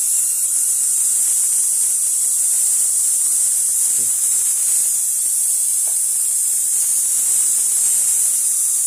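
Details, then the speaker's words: Tesla/Oudin coil, negative terminal grounded, discharge running hotter: steady harsh hiss and buzz with no clean tone, distorted because the spark gap is not yet adjusted. "Bueno, todavía no está graduado, ¿eh? Que se escucha como distorsión."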